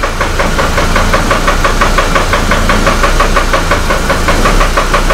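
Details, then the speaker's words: Copart Hummer H3 with suspected rod bearing problem and stalling, after installing new cam/crank sensors: rough idle hunting between about 500 and 600 rpm with steady knock; owner suspects fuel supply problem, cause unclear. "just pumping back and forth between about 500 and 600 it's almost like it's a fuel supply problem what it sounds like"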